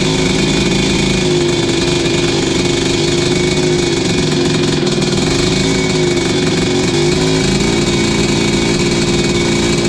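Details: 1986 Tecate 3 two-stroke after new bore, piston and rebuilt crank, first start in years: loud steady fast-idle buzz with slightly ragged edge, running on its own, rough but firing regularly; owner blames the 500 carb.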